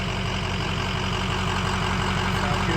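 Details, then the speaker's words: 2005 Ford F250 6.0 Powerstroke diesel at idle after the front-of-engine rumble was repaired: steady idle with even light clatter and no vibration or drone underneath; it is much quieter than before and sounds healthy. "all you hear is what you're supposed to hear now"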